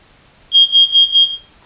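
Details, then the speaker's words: Kidde carbon monoxide detector, test button pressed: a loud, piercing high tone in four quick pulses, alarm sounding normally on test and confirmed working. "If you wanted to test it, there's a small little button right here that you can press it to make sure that it works, so that's what we're going to do."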